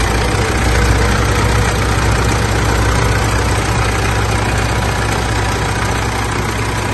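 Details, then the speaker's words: Mitsubishi L200 Triton 3.2 diesel at idle after starting: uneven metallic rattle about three a second from the front of the engine, coming from the timing chain; recorded before teardown, fixed with a replacement chain kit. "pode ver que tá bastante morrido esse ruído é proveniente da corrente de comando dela"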